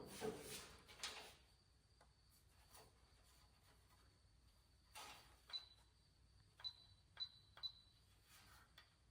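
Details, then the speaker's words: Used brake controller salvaged from a half-ton, bench-tested for the 1970 GMC 2500 with power to battery and brake-switch leads, then ground applied: a few crisp, separate relay clicks with a faint high tone, stepping through its levels; controller working. "And then when you give it ground, hear it clicking. There's your different levels."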